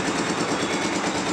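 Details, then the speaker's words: Nancang two-cylinder diesel idling after the cracked gasket (perpak deksel) was replaced. Before the fix it was hard to start, failing even after four pulls. Now a steady, even clatter with no misfire, hiss or knock. Runs normally. "dupnya sudah ganti Pakde kerusakannya karena pecah tadi Oke sudah hidup normal"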